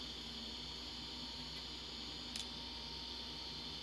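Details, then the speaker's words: Macintosh PowerBook 160 base unit from the scrap pile, first power-up: steady high spinning whine with hardly any clicks or seek chatter; hard drive spins but never reads, no head seek. "Does it run? Doesn't seem like it. I don't hear it clickety clackety clucko twinkulating."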